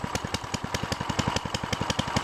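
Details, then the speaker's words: Baja DB30 mini bike, 97cc four-stroke single, cold start on full choke, not yet heated up: even, quick popping of about ten firings a second with no knocks. Cold start on choke. "Yeah, I'll start it up. I'm gonna start it up on a complete choke."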